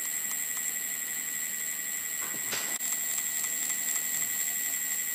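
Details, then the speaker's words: Ancheer e-bike hub motor, after about 350 miles, spinning freely with a high, steady electronic whine and a repeated even clicking about four times a second; the clicking stops when the circuit board is pressed, and loose motor plates are suspected. "I noticed that at some point it it frequently makes like a clicking noise repeatedly repeated clicking noise"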